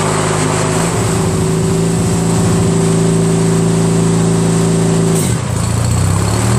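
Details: Craftsman DYT4000 with a 14hp Briggs opposed twin repower, 3-blade deck engaged through electric PTO after the tensioner was reset. Smooth hum, brief dip as deck load comes on, engine recovers without faltering. Healthy running.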